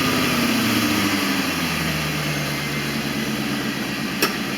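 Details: 1989 Corvette roadster V8 idling after plenum reinstall, ignition module replacement (no spark before) and first test run of Bosch III injectors: revs settle quickly into a steady, even idle with no stumble or miss, one light click; normal idle.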